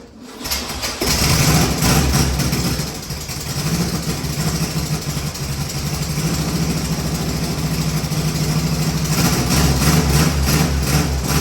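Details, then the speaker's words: 1973 VW Beetle after oil change and new spark plugs, possibly flooded and running rich: cranks, catches, uneven idle with light rapid ticking over the rumble; owner suspects valves need adjusting, unconfirmed. "I have a feeling he's going to have to adjust those valves because that ticking I hear is that's probably what that is"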